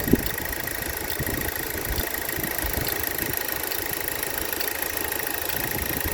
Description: Have this ticking sound in the engine year 2010 Insignia 2.0 turbo. Its like a clock that ticking every second. Can't really locate where it is.